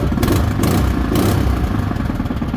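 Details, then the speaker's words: Small single-cylinder engine being prepped for sale, fitted with a non-original replacement muffler, started on slightly less than full choke; puttering at a fast, steady beat with throaty exhaust and no misses. Was a smoker before, runs good now. "Runs good though."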